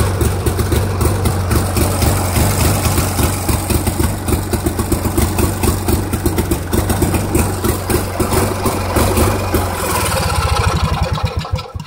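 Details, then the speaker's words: Dynamark tractor engine after carburetor main adjustment screw correction (it was too far out and flooding), with new plugs: a steady, low single-cylinder thump runs evenly, then slows and dies at shutoff. The engine runs normally. "It probably could be adjusted a bit more, but as you heard, it runs."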